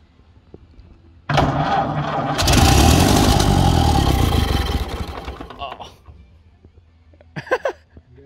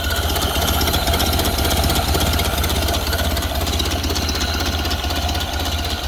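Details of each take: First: 1931 Ford Model A, 200.5 cu in flathead four, 4.5:1 compression, off the road 65 years. First start attempt with choke pulled and starting fluid: starter grinds, engine catches in a rough sputtering roar, then dies. Badly flooded; old updraft carburetor dumping fuel. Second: Ford Model A off the road 65 years, with fresh gas and corrected ignition wiring, slightly choked: slow, even low-speed chuffing idle with no knocks or misses. Idling nicely and low, as these do; sounds good.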